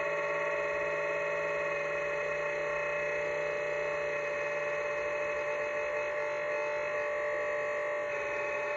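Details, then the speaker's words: LiPo charger, nearly a year old, charging a 6S pack, gives a steady high-pitched mixer-like whir and buzz throughout; abnormally loud, cause not identified, with inconsistent voltage readings. "M you know this thing sounds like a mix master like I'm in here getting ready to make cake batter"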